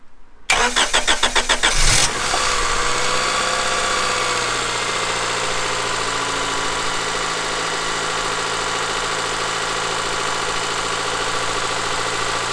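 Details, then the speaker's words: Honda Accord (CB7), 183,000 miles, first start after sitting three years: about one and a half seconds of rapid even cranking, then it catches and settles into a smooth steady idle, no knocking or marbles sound. "I am now that it runs and it's not knocking it's not you know it doesn't sound like there's marbles in the engine it actually sounds really good"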